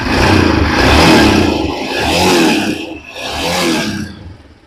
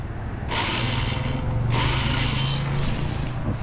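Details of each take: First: Royal Enfield Himalayan single cylinder after repair of a starter that only spun without engaging: fires and revs in three rising swells, picking up cleanly without knocks or rattles; starts and runs normally. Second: Royal Enfield Himalayan on self-start: starter motor whirs freely in bursts with no cranking beat, motor spins but doesn't catch the engine; sound only, won't start.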